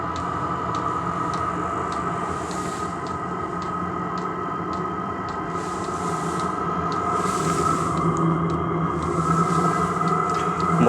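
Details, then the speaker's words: Cheap Chinese 12V diesel heater newly installed in a shed, on its first start: quick light ticking, two to three a second, over a steady hum as the fuel pump primes. Smoke on the first start is said to be normal, and the pump ticking is normal. "apparently that's normal for the first start um so you can hear now really pumping"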